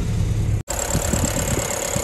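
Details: 1981 Land Rover Lightweight, 2.25 petrol, showing 71,000 miles (unverified): even, steady low-pitched idle with no stumbles or misfires; normal healthy idle.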